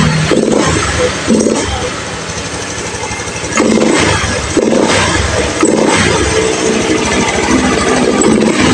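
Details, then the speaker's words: Honda Beat FI scooter that had been stuttering and stalling, with abnormal fuel pump pressure (35 psi dropping to 30). After reset, with a weak battery and kick-started, it runs steady through throttle blips with no stumbling; engine smooth, fuel pump fine. Air filter found damaged. Normal idle. "Suaranya ini ya, mesin halus, full pump aman."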